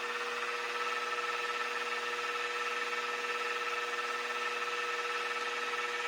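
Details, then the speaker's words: Mini Mill after belt drive kit upgrade, running in low gear (up to about 1100 rpm): very quiet, smooth steady motor hum, no gear grinding, clunking or metal-on-metal lever rubbing as before; normal running. "Man, that's quiet. I can barely hear it. We're in low gear right now."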